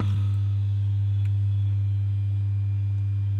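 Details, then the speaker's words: Philips MMS2080B 2.1 Bluetooth speaker (TDA2030A/UTC2030A amplifier), opened up: a constant low drone, steady in pitch and level with nothing playing, coming from the subwoofer speaker; amplifier hum that shouldn't be there. "यह आवाज सुन रहे हो speaker में हम की आवाज आ रही है जो कि नहीं आनी चाहिए"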